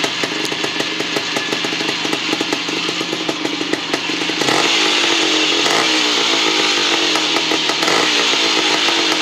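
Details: 1975 Bultaco Sherpa T 350 (type 159) two-stroke after rebuild: crisp, even, steady crackle picking up briefly with throttle; healthy running.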